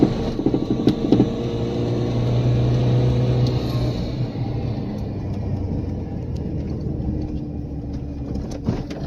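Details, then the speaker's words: Mitsubishi Pajero Mini turbo, five-speed manual, with a new custom 2-inch exhaust, no catalytic converter, short turbo muffler exiting under the passenger seat: deep, even exhaust rumble swelling and settling with revs, mellow down low, no rattles or leaks. Normal exhaust note. "actual exhaust note is nice and mellow down low it's going downhill diesel it's not real drowning"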